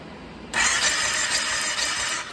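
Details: 2006 Kawasaki Brute Force 750 4x4 ATV cranked with the spark plugs removed for a spark test: a fast, light, even starter whir with no compression pulses. Both plugs show spark, and fuel delivery is checked next.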